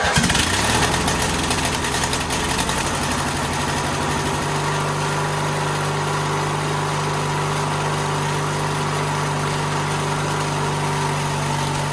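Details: White LT1650 hydro riding mower, Briggs & Stratton twin, started after intake change and throttle cable move, RPM being set to about 3500; cranks, catches, ragged a few seconds then smooth steady hum; runs good, normal running.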